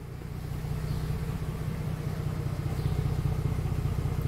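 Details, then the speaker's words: Mercedes-Benz with codes P0300, P2090, P0353 and unstable engine, after repair: steady, even low idle with smooth regular pulse, no misses, knocks or ticks; engine running healthy. "pero ya el carro está trabajando pues de maravilla como lo escuchando"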